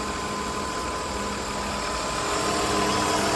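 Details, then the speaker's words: 2002 Ford Escape with low, erratic, lean idle, new EGR fitted: steady airy hiss over idle, seemingly from the rear of the engine; vacuum leak, later traced to the PCV hose. "it sounds like I can hear a vacuum"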